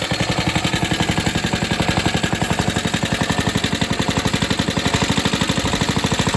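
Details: Atco Suffolk mower with a clamp-repaired part, running after the choke is taken off; small engine chugging at a steady, even beat with no stumbles or misses, healthy running.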